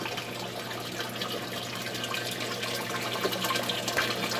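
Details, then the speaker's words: Bell siphon in a 100 L (about 26 gallon) aquaponics fish tank kicking in after trickling: loud irregular splashing and gushing as it drains, throwing water around and aerating the tank, before a muffler is fitted; noisy unmuffled siphon drain. "They splash water around. They do airate the system."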